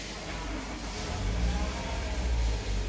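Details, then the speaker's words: Toyota Alphard, around 2010, cold start. A heavy, steady low drone sits under the idle, like a broken engine mount, but the mounts were checked and are good. This points to a worn, abnormal balancer shaft, so the balancer set is being replaced. "bunyi dengung nya kurang nyaman aja kayak seperti mounting pecah tapi kita cek kondisi mentimun nya masih bagus itu biasanya ciri-ciri dari balancer nya udah abnormal ya"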